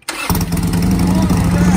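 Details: Harley-Davidson Sportster V-twin just fitted with a new Ultima ignition after the original failed: brief crank, catches within a fraction of a second, then settles to a steady, deep, even idle; healthy start.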